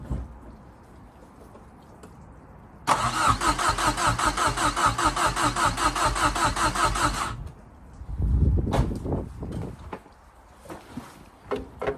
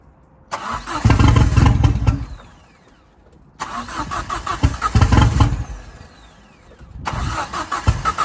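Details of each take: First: Fiesta RS Turbo: steady even cranking for about four seconds, never catches, then stops; likely fuel starvation. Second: Fiesta RS Turbo restoration, first start in over four years, manifold not tight and downpipe hanging: cranks, catches and revs in short bursts, then a quick steady idle, firing cleanly; normal first start.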